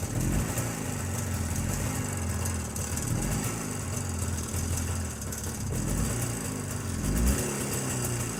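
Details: Jawa 350 two-stroke at idle after the owner rebuilt and resoldered the ignition circuit (simulating the cam-type breaker): softer running, steady low "puh-puh" exhaust putter with no misses or knocks; with the simulator fitted, revs drop. Normal idle.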